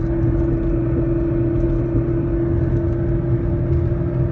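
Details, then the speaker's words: 2011 Mustang with Roush Phase 1 supercharger, driving in gear: steady mid-pitched whine over road rumble, gone with clutch in or in neutral; worn rear differential and bearings, rear end being replaced. "so pretty much after listening to those clips you can definitely see a lot of the noise was coming especially when you were in gear every time i'd either push in the clutch or have it in neutral you obviously wouldn't hear the noise so made sense why it was the differential and a couple of bearings now"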